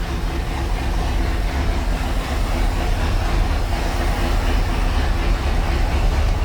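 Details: 1976 Ski Nautique boat engine, Pertronix D231801 distributor, first start, not yet warm (90°, thermostat closed), oil pressure 50 psi, tach about 1000 rpm: steady deep rumble, no misses; fast idle with throttle held open as carb is off.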